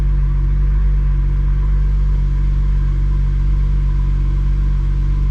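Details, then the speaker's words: 2004-2008 Acura TL / 2003-2007 Honda Accord V6 after installing solid engine mounts, idling with AC on: steady low hum, slight vibration felt in steering wheel and floor, no panels rattling; normal idle. "well i can feel it in the steering wheel now and a little bit in the floorboard but i'm not hearing any panels vibrating"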